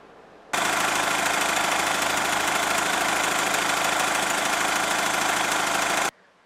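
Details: 2014 Hyundai ix35, 2.0 diesel, 184 hp, six-speed manual, 4x4, 197,000 km, just started with no warning lights: even, steady diesel clatter at idle with no knocks, misses or surging; engine sounds healthy.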